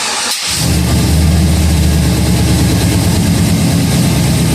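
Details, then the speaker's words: Budget cammed 5.3L V8, first start after plugging in the previously forgotten passenger-bank coil packs that had caused a miss; earlier attempt ran rich. Brief crank, then it catches and settles into a steady deep idle with no misfire or knock. Normal idle. "sounds a little better still no CS but it sounds better oh it's trying to get it a cam"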